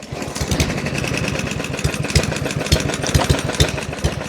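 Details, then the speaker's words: Junk lawn mower after being run on motor oil, power steering fluid and PB Blaster in an abuse test; rough, laboured running with uneven heavy thumps and stumbles, bogging down as if locking up and close to seizing. "Oh my god. Wait. Oh, it might not start. It's like locking up."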